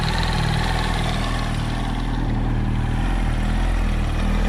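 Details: 2007 Yamaha R1 idling with a light, uneven tapping about four a second over the engine beat; owner suspects camshaft or clutch springs/basket, not confirmed.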